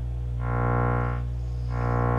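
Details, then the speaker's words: Miller & Kreisel V-2B subwoofer with distorted audio: 25 Hz then ~62 Hz test tone pulsing buzzy and rough, beating against a steady 60 Hz mains hum; failed main power supply filter capacitors, later replaced. "listen to this it's definitely got a hum to it a 60 hertz hum"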